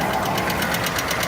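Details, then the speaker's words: 2018 Ford F150 4x4 with the 5.0 Coyote V8, sold as having a bad engine, at idle: a sharp, even tick matching rpm, thought to be top end rather than injectors; dirty oil suspected, unconfirmed. "You can hear it kind of down here, too. That sounds like top end to me."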